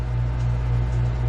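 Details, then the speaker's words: 16,000 BTU marine AC on a 2001 Hydra Sport 2600WA boat, running on house power during a LiFePO4 battery and inverter install: a steady, even compressor hum with no knocks, blowing real cold air. Normal compressor hum. "As you can hear the humming of the compressor, and the air is real cold."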